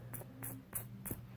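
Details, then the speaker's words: Skateboard bearing spun by hand off the wheel, uncleaned and long used: rough, sticky hum with a sharp tick about three times a second; dirty, waterlogged bearing. "Talk about waterlogged. Oh, that one's worse."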